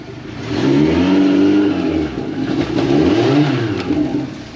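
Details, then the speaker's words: 2017 Suzuki DF115 four-stroke outboard after full service fixing stalling and rough idle: kicked into gear, pitch climbs smoothly, falls, climbs again, pulling strongly with plenty of power; running healthy. "plenty of power. It's a happy Suzuki now."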